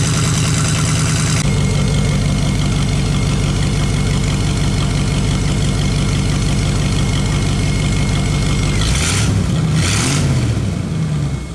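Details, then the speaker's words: Chevrolet S10 engine that sat two to three years, first run after fuel system work: rough idle puffing a little smoke, with ticking from several exhaust leaks and a steady high squeal from a brand-new belt showing a worn spot. "Now there's a few exhaust leaks, if you didn't hear it, that I have to go back over. And there is something on the belt I'll show you real quick."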